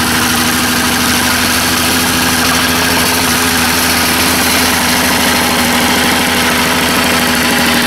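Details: Small two-stroke after carburetor diaphragm service: a steady, rapid buzz at idle, even and unbroken, with no misses or surging. The owner still wonders whether the rings or cylinder are worn and notes intermittent odd behavior. Normal idle.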